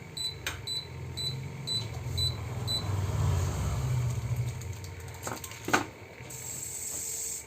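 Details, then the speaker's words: V-Guard BLDC ceiling fan on the bench, serviced after rainwater damaged the board, remote paired and set to full speed: short beeps then a steady low hum with no scraping or rattle; motor running healthy. "അത്യാവശ്യം നല്ല സ്പീഡുണ്ട്. ഇതിൽ നമുക്ക് correct speed അറിയാൻ പറ്റത്തില്ല."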